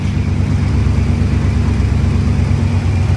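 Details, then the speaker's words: Chevrolet Monte Carlo SS with Quadrajet carburetor, first start after over 10 years on fresh 93 octane: loud, rough low idle burble with uneven chuffing about three per second; exhaust leak, probably from the mufflers. "hear exhaust is leaking it looks like it's probably coming out of the mufflers"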